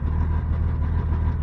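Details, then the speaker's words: 1988 Chevrolet S10 with new engine and TBI, first run after storage, idling cold, service engine light on; low uneven idle with tinny aluminum-like rattle from muffler, weak exhaust flow; owner suspects blocked original catalytic converter; rattly exhaust. "definitely have an exhaust presription in there by the sound of that muffler I don't know what if the camera's picking it up sounds like a bunch of aluminum"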